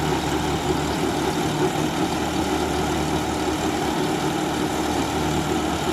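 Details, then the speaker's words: John Deere 5075E CRD diesel tractor in a banana field, rpm holding with no drop: deep, even drone at constant speed without dips or added rattles; running smoothly with no abnormal noise. "வண்டி sound நல்லா கேளுங்க sound எந்த அளவுக்கு noise இல்லாம கரெக்டா ஓடுதுன்னு பாருங்க"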